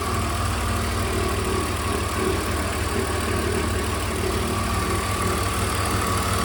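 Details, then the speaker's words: BMW E46 330i M54B30, cold engine at idle only: loose, uneven tapping of about three knocks a second, appeared within last 1000 km; intermittent, two separate sounds found, DISA valve suspected, not confirmed. "hello welcome back today we're going to chase a sound that has arisen within the last thousand kilometers or so only is when the engine is cold but only at idle as well listen to this once the idol drops the sound is usually present"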